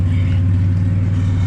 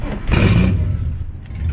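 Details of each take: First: Ford AU Falcon drift car, just started after a gearbox lock-up, jump-started earlier, still warming up; loud even idle with coarse buzzy flutter on the low exhaust note — exhaust rattle. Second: Ford AU Falcon drift car, after its locked-up gearbox was replaced, starting after an earlier jump start for a dead battery, still warming up: a brief crank, then it catches at once and runs steadily, with a slight exhaust rattle.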